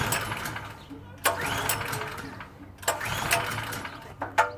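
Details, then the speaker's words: PowerSmart PS44 3000W generator that sat since 2017: three pull-starts, each a short sputtering burst that fades straight away. The owner suspects the carburetor is clogged and plans to remove the bowl; black specks were found later. Cause unconfirmed. "Yep. It's definitely a fuel issue. If I let it sit, it like runs for a split second."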